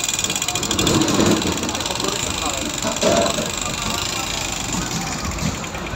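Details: Yamaha FZS version 1 single with an engine sound problem, badly damaged bike with broken head nuts: loud, busy metallic clatter over the idle.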